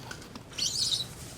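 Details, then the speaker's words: 2008-on Volvo XC70 rear shock absorber: a sharp, high-pitched chirping squeak from the top as it compresses, a sign the worn shock will soon blow out and fail; it is being replaced. "squeak like nothing else up at the top which has been driving me insane that's also a sign that they're gonna blow out soon and fail"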